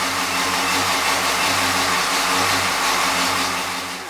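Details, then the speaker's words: 461 stroker Silverado 2500 with TH400, just started cold: loud lumpy busy idle with exhaust hiss, running really rich; electric choke pull-off not hooked up yet. "she runs really rich when she first starts"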